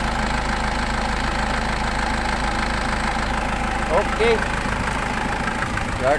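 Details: Nissan Patrol after a crank-no-start fault with lost ECU communication was fixed: steady, even idle with a low, regular beat and no misses or knocks; engine running healthy, a few voices around.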